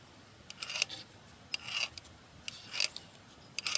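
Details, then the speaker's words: Pump removed from the donor engine for a Peterbilt 359 engine swap, shaft turned by hand: light rasping bursts about once a second as it turns freely and evenly; normal pump rotation. "It's a good thing I pulled this piece of junk off cuz check this out, okay? This is how it's supposed to sound."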